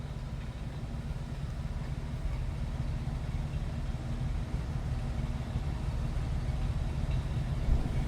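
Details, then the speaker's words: 1950 Plymouth Deluxe sedan, single-carb inline six, 12-volt system: low, even rumble at idle with no knocks, ticks or misses; smooth, quiet, normal running. "Smooth running car. Fires right up, very quiet also. Nice throttle response."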